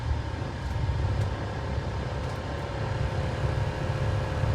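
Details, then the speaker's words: Old car idling at about 750 rpm after new stiff engine mounts: heavy steady low boom in the cabin with loose parts rattling. It happens at every stop; the ECU is being sent for a tune to fix it. "there it is full tilt that's what it sounds like on a regular basis we can't have that"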